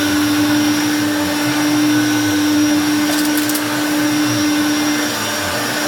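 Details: 1980s–1990s Hoover Turbopower hard-bag upright vacuum cleaner switched on for a test: loud, steady motor whine at one even pitch with a smooth rush of air, no surging or rattles; the motor runs healthy.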